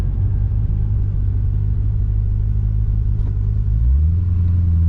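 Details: GTO after replacing the differential bushing/mount, cruising then lifting off throttle. Smooth low rumble, pitch drops on lift-off without the former metal-on-metal clunk; driveline sounds healthy.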